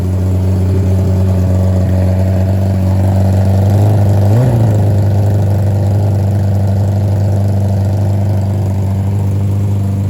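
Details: Nitrous Hayabusa revived after sitting, first runs: uneven, hunting idle with one brief rev blip midway; nitrous lines fitted without jets left fittings unsealed, letting unmetered air in (vacuum leak).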